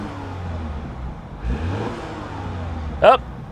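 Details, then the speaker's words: Flood-damaged car with an automatic transmission in sport mode and no dash warnings: quiet background, then a short clean rev that rises and falls smoothly without stumble or rattle; the engine pulls fine. "You got sport mode. There we go. It sounds good."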